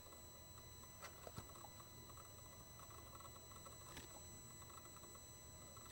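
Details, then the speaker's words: Mercedes Sprinter van losing power, unable to exceed 40 mph uphill, engine running, mic held near intake swirl flap motor: faint irregular clicks over steady electrical hum; swirl motor suspected jammed, motor itself possibly good. "so the noise you heard it's it sounds like oops it sounds like the the SWR motor is jammed okay the motor itself could be good"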